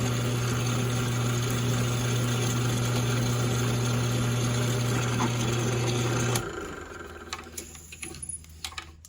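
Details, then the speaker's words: Drill press cutting a countersink with a zero-flute or single-flute countersink and pilot point: steady, even motor hum for about six seconds with no chatter, then winding down; smooth, clean countersink cut. "And if you can see that, that's about as perfect as a countersunk hole as you're going to find. Again, that pilot point helps a lot, keeping it from chattering."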